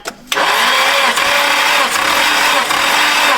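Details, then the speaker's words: SR20 engine in a 180SX bought as "blown up", compression test on cylinder 2 with a new battery: even rhythmic starter cranking, reads 125 against cylinder 1's 120; normal cranking compression. "Hell yeah. All right, we're good. All right, 125. I'm cool with that."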